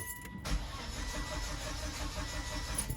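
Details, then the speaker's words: 2006 Volvo XC90, which had a rough-running engine, being started right after a fuel filter change. The starter cranks steadily for about three seconds without catching, as expected while the empty new filter fills. "Now I'm expecting this to be a little tricky, or at least take a few beats, because that whole fuel filter is empty."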